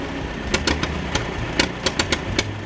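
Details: Massey Ferguson 135 tractor, Continental 2.4L gasoline four-cylinder, after carb rebuild, fresh fuel, new coil, rotor and distributor; compression 90/90/85/90: uneven idle with irregular pops and misses; rough running, owner wonders about timing or burnt valve.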